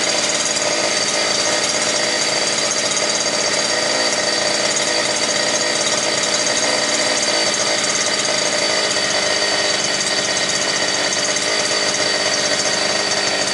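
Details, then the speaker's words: New gasoline brush cutter (trimmer) that would not start, now running bare without shaft, gearbox or spool: steady high even buzz at full throttle, about 9,900 rpm, revving freely with no misses; normal. "Так, значить, 9900, друзі. І це нормально, я чую по звуку. Якраз до десятки, якраз їй нормально."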